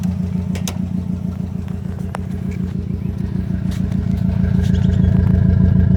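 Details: 2005 Subaru WRX EJ20, code P0340 and cylinder 3 misfire despite new coil, spark plug and front O2 sensor, timing belt and MAF checked, compression good: low thumping idle with a regular stumble about three per second, rising slightly with revs; misfire.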